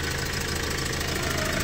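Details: Hyundai Porter 2 D4CB Euro 4 diesel with low power: steady idle with a rhythmic chuffing tick from blow-by past a leaking fuel injector washer.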